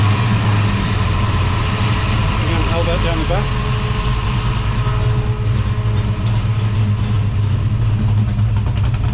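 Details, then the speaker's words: Holden HT Monaro V8 after replacing faulty MSD ignition module, thermo fans on: steady, even idle with smooth low rumble, no misses or knocks; running cleanly. "back well I must say I'm very pleased with that that sounds mint me too"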